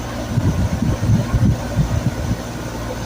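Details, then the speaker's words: HVAC condenser compressor starting after repair of control wires that had popped loose from wire nuts: steady low hum with even drone, no knocking or rattling; compressor running normally, system fixed. "Hear that noise? That's a compression. Get the thumbs up. You heard it, ladies and gentlemen. He fixed it."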